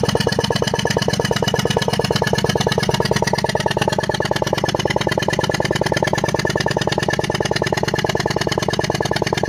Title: ertiga bs6 engine misfire